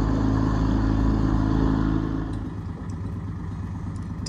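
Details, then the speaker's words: Sailboat engine that had trouble starting (turned over but not getting fuel or air in lines; had been bled), now running steadily at about three and a half beats a second, even firing, no misses; normal running. "hear the sound of that it's the engine working that's what it's supposed to do"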